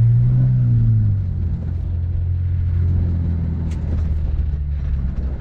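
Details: Honda S2000 after fixing higher-rpm misfire: deep steady engine drone, strong and even under load during acceleration, no stumbling or cutting out; engine pulls cleanly and sounds healthy.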